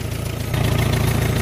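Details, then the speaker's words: Old Farmall M tractor engine after refitting fuel line and inline filter: deep, steady low thump with even firing pulses, no misses or knocks; runs smoothly, normal running. "Sounds good. I don't know. I mean, I think it runs pretty good."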